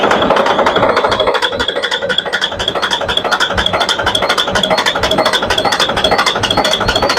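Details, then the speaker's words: Volvo Penta TAD1241VE 12-litre 460 hp common-rail diesel in the workshop, oil level about double normal, after a sudden noise while running. It smokes, tries to catch with a rough, uneven clattering knock about three a second, then dies. Broken valve, half the stem snapped off. "तो भाई यह देखा आपने smoke engine थोड़ा सा start होने का कोशिश किया लेकिन बंद हो गया और दूसरा भाई जो एक्चुअल में जो इंजन का आवाज है वो बिल्कुल ही सही नहीं है। बहुत ही बुरा आवाज कर रहा है भाई।"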